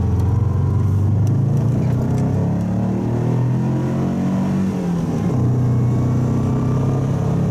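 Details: Subaru wagon after fitting a Lukey Turbo muffler in place of an X-Force straight-through: engine note rises and falls smoothly with a deep even rumble, no rattles; on the on-ramp under load it seemed as loud as before.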